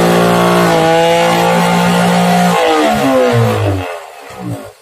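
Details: Mixer grinder under repair: a steady high motor hum with a clear whine, then the pitch sags and fades as it switches off; condition unclear, nothing points to a fault.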